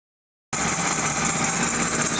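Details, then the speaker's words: 1998/1999 Kia Sephia 1.8L DOHC with P0301–P0304 misfires, after replacing carbon-tracked spark plugs: after a short silence, steady, even idle with no stumbling or uneven beat; runs smoothly on all cylinders; normal idle. "warrantied out the plugs and now it's a smooth"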